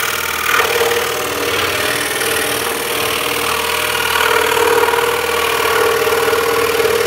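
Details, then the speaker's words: Scroll saw making a deep 3D cut: steady saw buzz, then a sharp whack as downward hand pressure is released and the workpiece lifts off and slaps back onto the table; the hold-down clamp prevents this. "that kind of whack on the table is where i just released my downwards pressure and that allowed the project just to lift up okay and then it gets pushed back onto the table makes that noise"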